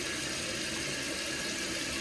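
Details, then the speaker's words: After replacing a hissing toilet's fill valve: a steady, even rush of water as the new valve fills the tank and overflow tube normally; the water line is set too high. "So you can see it filling the tank while also filling the tube."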